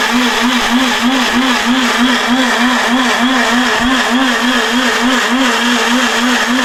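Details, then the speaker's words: Atomberg Zenova mixer grinder running with its jar locked; a loud, high-pitched motor roar with a fast, steady pulsing hum under load, very noisy, cause not evident. "Sound നിങ്ങൾക്ക് എത്രത്തോളം feel ചെയ്യാൻ കഴിയുമെന്ന് എനിക്കറിയില്ല but വളരെ loud ആയിട്ടുള്ള ഒരു noise"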